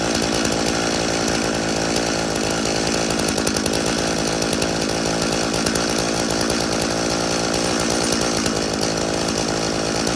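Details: Stihl chainsaw (customer's MS 391 or MS170), dropped off because it would not start; refuelled with his own fuel, which had some dirt in it, then started outside at night. Loud, steady high buzz holding revs without dropouts; it starts and runs fine.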